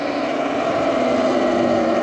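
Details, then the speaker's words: Electric bike/e-moto at about 187 miles, while riding: a steady mid-pitched whirring tone that wavers slightly comes from the rear brake and sounds weird. The cause isn't clear. "don't know if you guys can hear that sounds pretty weird"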